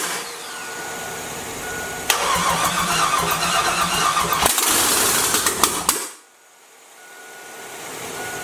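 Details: Truck on first start attempt after new spark plugs and spark plug wires were installed: starter spins the engine briskly for about four seconds with no firing at all. Cranks but won't start, cause unknown.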